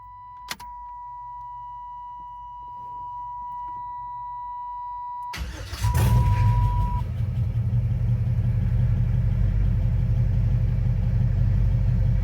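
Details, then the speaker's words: LS V8 swapped into an S10, first start with the belt on: it cranks, catches and settles into a steady, fairly loud idle, maybe slightly low. The alternator is charging; it runs normally. "You can kind of see where we're idling at here. Maybe a little low on the idle. It's not as loud as I thought it was going to be, but it is pretty loud."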